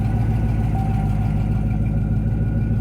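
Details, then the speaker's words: 1996 Corvette C4 Collector Edition, 35K miles, LT4 engine, ZF 6-speed, reluctant to fire at first: now a steady low rumble firing evenly with no misses or ticking, settling into a healthy cold idle. "Well, there she is. There, she's trying to idle now nicely."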